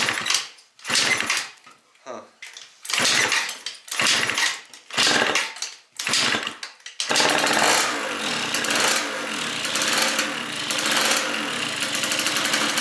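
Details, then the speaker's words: Yamaha Vino scooter first start after fitting a 70cc big bore kit, new coil and aftermarket exhaust: sputtering catch, then loud raspy crackle over the two-stroke idle from a major exhaust leak; fixed by replacing the exhaust gasket. "Major major exhaust leak, but it fired up. So, we got to fix that exhaust leak though."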